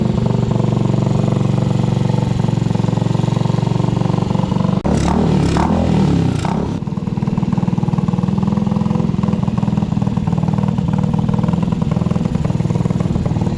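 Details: Restored Honda CG125 street scrambler after full build: steady single-cylinder idle, one quick throttle blip, then settles back evenly; healthy-running engine.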